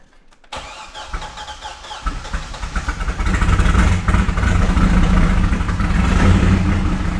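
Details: Wrecked C6 Corvette Z06 V8 with Texas Speed heads and cam, started after cam timing was corrected: starter cranks briefly, then catches and settles into a loud, lumpy idle with a choppy cam beat; fires and runs.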